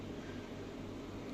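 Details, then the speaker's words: Marine aquarium chiller, just switched on after coping well with summer heat: constant low hum, steady drone and faint airy hiss. It runs noisier than it should, cause not yet clear, though it cools and holds water temperature well. "От включився зараз. Ну, дивіться, єдина проблема шумить, шумить."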